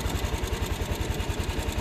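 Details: Yamaha NMAX scooter that ran low on engine oil, lacking power on throttle, after partial repair without overhaul: quick even ticking, about seven to eight a second, over a light idle from damaged rocker arm bearing and camshaft; valve train tapping.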